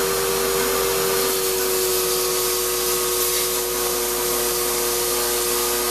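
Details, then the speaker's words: Shop-Vac vacuuming coarse tumbling grit gives a loud steady whir with a raspy whine; dust that passed through the motor before a dust separator was fitted pretty much destroyed it, and it runs poorly. "now the motor on my shot back is not sounding good and this wasn't running as well as expecting"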